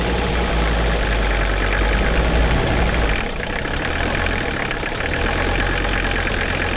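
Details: 1981 Mercedes-Benz 300 SD, OM617 5-cylinder mechanical turbo diesel, revived after sitting 5-10 years with replaced fuel lines now holding: steady low diesel clatter at idle, even and unchanging; running normally.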